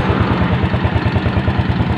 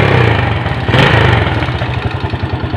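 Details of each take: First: Motorcycle engine at steady fast idle after new original rings, cam chain and seals. An even quick tapping rides over the exhaust: the worn bore slaps the piston and actually needs oversize boring. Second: VKZR motorcycle engine after fitting original rings, a new cam chain and a new seal, plus resurfacing: a steady, even idle with the model's characteristic light ticking and no smoke. The earlier problem came from incorrect installation.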